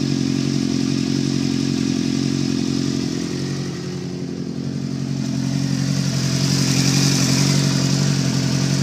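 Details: Suzuki GSX-R 690 motorcycle running: irregular knock of about 3.5 beats/s through the exhaust note, cause unclear; engine knocking.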